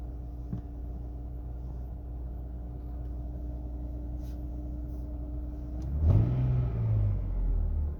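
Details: 2002 Lexus IS300 manual, cold start: steady mid-pitched whine over idle, buried when revs rise; owner suspects oil pump, does not seem to come from alternator.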